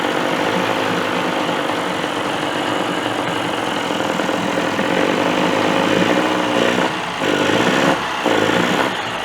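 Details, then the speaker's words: Reassembled 1985 Johnson 20hp two-stroke outboard in water, idling in neutral; busy, even buzz with no sputtering, running like a top, a normal idle (it clunks in forward and reverse, suspected worn shift dogs). "Well, she runs, but I got a little bit of a problem. As you see, the motor's running like a top."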